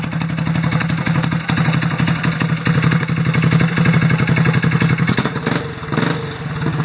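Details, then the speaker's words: Vintage mower with a small single-cylinder NR Racing motor, after timing set to 25°, coil air gap set to about twenty thousandths, and valve lash corrected to 0.003 exhaust and 0.002 intake: a quick, steady beat with even firing and no misses. It runs well. "fired it up and this thing runs ridiculously well but actions speak louder than words so I'm going to fire it up real quick and let you guys hear it for yourself"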